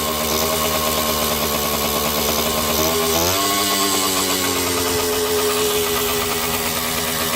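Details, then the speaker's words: Kawasaki KD80 two-stroke back running after ignition short fix, oil system hookup, carburetor fitted and clutch adjustment; crisp buzzy rev rising through a blip then steady even high idle, good compression; normal running. "very happy with the way run we've got beautiful compression I mean it's all there"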